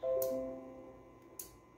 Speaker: there's just swapping between them so all good